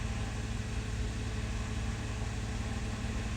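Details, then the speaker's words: 2006 Nissan Maxima after the tune-up, misfire fixed: steady, even, smooth low idle with no stumble. Fuel trims remain around 8–9 on both banks, likely from lazy upstream oxygen sensors. "and that seems to have been fixed because it's running really smooth now"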